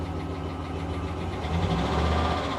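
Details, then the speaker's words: 2021 Jaguar F-Type, 41,902 miles, at idle with many warning lights: faint quick light tapping over the steady idle; engine tapping in the top end, cause unknown. "What's that noise? Oh, it's got a tapping in the engine."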